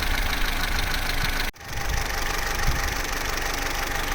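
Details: Vauxhall Corsa C Z14XEP, 86,000 miles, hot idle at full operating temperature: busy clattery idle with fine metallic chatter; timing chain rattle, quiet when cold and after about 6 minutes idle.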